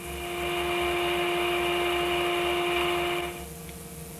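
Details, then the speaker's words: Zenith car radio after alignment, with the IF oscillator dialed in and trimmer tuned: a clear, steady AM modulation test tone with faint hiss; the radio reproduces the signal cleanly. "much more audible tone from the amplitude modulation from the modulation itself so if I take off some of the attenuation you can hear a very very strong signal coming in there"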